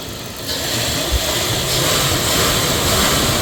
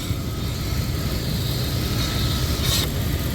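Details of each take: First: 1999 Dodge Durango SLT V8, revived after sitting 14 years: a steady, even idle, lower than before, with a smooth low rumble and no misses or ticks after a vacuum leak was fixed. Normal idle. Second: 1999 Dodge Durango SLT, after sitting 14 years, idling unusually low with a new IAC: low steady idle with a faint airy hiss on top from a vacuum leak, something left disconnected that was then refitted.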